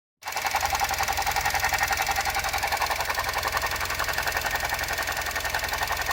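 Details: Suzuki Jimny JB64 with a faulty alternator (later replaced new under warranty), throttle blipped: a fast rattly ticking, about three and a half per second, rides steadily over the idle.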